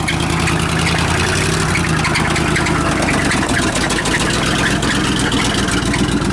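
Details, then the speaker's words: Suburban engine with new plugs, wires, cap and rotor, cleaned EGR valve and replaced power booster after a vacuum leak: steady running with a low drone and faint high chirp; knock and squeak, source still unknown. "all right we have this problem with the Suburban that uh it knocks and squeaks"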